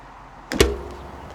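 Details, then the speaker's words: Toyota 4Runner / Lexus GX 460 automatic shifted out of park: a light click, then a big, deep thump, felt as well as heard, as the loaded parking pawl releases, adding wear and load on output shaft gears. "that was a pretty big thump I even felt it not just hear it what that's doing is continuing the wear and tear on your parking PW which will lead to more failures due to unnecessary load on your output shaft gears"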